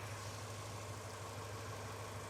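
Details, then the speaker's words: Subaru Impreza GC8 WRX EJ22 after coolant crossover pipe repair, idling while coolant is topped off: steady, even idle with smooth low hum, no ticking or knocking; engine sounds healthy. "Engine's sounding good. I can't complain about that."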